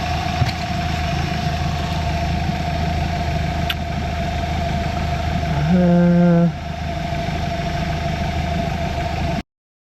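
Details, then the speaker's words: 2023 Mercury 150hp four-stroke outboard on water tub, warming up with throttle slightly raised: steady, even low smooth hum with a brief higher-revving blip; runs clean with no knocks or misses. "for some reason that's I mean it sounds good runs really good nice and I've got the throttle up just a little bit to warm it up"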